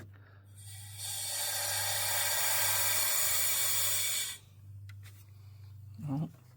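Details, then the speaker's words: Ford Excursion 6.0 Powerstroke, new tune, intake boost leak test with compressor: steady sharp hiss about three seconds, abrupt cutoff, bleeding off quickly; a leaking MAP sensor hose was later found. "Bleeding off pretty quick, but I don't hear nothing huge."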